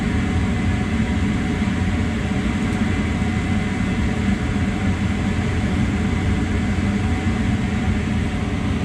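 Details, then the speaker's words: Mana 80 SV Air Command furnace that wouldn't start (bugs, stuck exhaust fan), after cleaning, with jumper wires fitted: the igniter glows about 30 seconds, the burners light all the way across and the flame sensor proves. Steady low roar and even hum, normal burner operation. "Burner's light, lit all the way across. The flame sensor sensed it. It should stay going."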